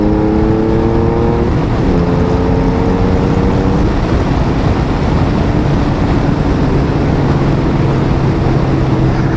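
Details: Honda Valkyrie 1500 flat-six after full engine rebuild, new battery, barely ridden in 7 years, road test accelerating to about 60 mph: smooth, even drone rising and dropping back at each gear change under wind noise; healthy, normal acceleration.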